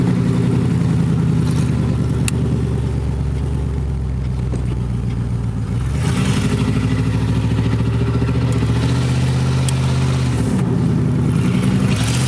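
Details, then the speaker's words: 1986 Chevrolet Camaro IROC-Z, exhaust pipe broken where the Y-pipe forks: loud, raw, blatty exhaust barking harder on each rev then settling; exhaust leak ahead of the muffler, to be welded. "well that was my broken exhaust pipe on my 1986 Camaro um well I guess we'll be fixing that tonight because I'll be uh sure to get pulled over if I drove that thing around much longer"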